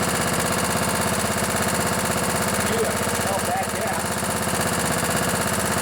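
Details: Craftsman LT1000 riding mower with a 16 hp Kohler Command OHV single-cylinder, a barn find first run after carburettor cleaning, chugs steadily around idle with no misses or knocks, smoking a bit; sounds healthy.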